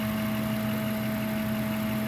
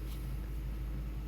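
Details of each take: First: Ford F-150 V8 idling with a steady airy hum and drone and felt vibration, like air being drawn in; the idle air control valve is suspected. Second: Ford F-150 V8 idling evenly after the IAC valve was swapped without a new gasket; the earlier air-drawing noise is gone and idle is settling down before warm-up: a steady, even low rumble with no ticking or whistling.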